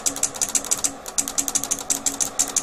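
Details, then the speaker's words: Korad bench power supply, repaired unit, during an intermittent short-circuit and arc test: quick bursts of sharp clicks, a few per second, as the relay switches transformer taps in and out; normal relay tap switching, supply unharmed. "You can hear the U relay selecting the transformer taps um clicking in and out there."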